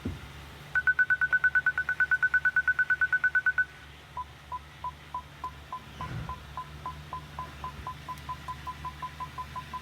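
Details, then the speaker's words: Rolls-Royce Phantom creeping close alongside an obstacle, with PDC activated by reverse and still on in drive: rapid even beeps about three a second, then a lower, steadier chirp; parking sensor proximity warning. "now if I go into reverse for a second it'll activate the PDC and go back to drive it'll still be there"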